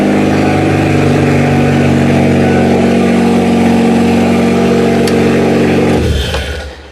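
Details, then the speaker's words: Kia demolition derby car, radiator not yet installed, just after the negative battery cable was hooked up: smooth, even engine note that revs cleanly, then winds down at shutoff; sounds healthy; normal running. "But honestly, this car's pretty good. It sounds healthy."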